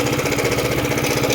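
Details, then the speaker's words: 2018 Yamaha XMAX 300 scooter converted to 350cc with 76mm TDR kit, new TDR cam and new injector, still on original 300 ECU software, at idle: lumpy uneven beat with a light tick on each firing; cause uncertain, possibly the software mismatch or the cover. "Bir tek tek ses var gibi. Şöyle yeni egzantriğin şeyini bilmiyoruz biz. Daha uzun basıyor."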